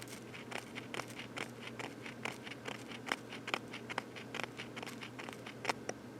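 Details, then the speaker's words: Late-1950s German speaker in a PhonoTrix tape recorder, four ohm; it plays greatly distorted, with faint irregular scratchy ticks over a low steady hum. The voice coil rubs badly and the speaker would need replacing. "definitely seen better days it's rubbing like really badly which is such an interesting looking speaker an old German speaker from the late 1950s"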